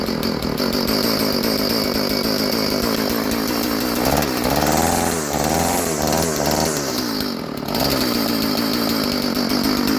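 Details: Old Stihl FS 36 two-stroke trimmer, sat 2+ years, newly fitted clear primer, started with choke: buzz holds fairly steady with a few quick throttle blips, no misfire or sputter; normal running.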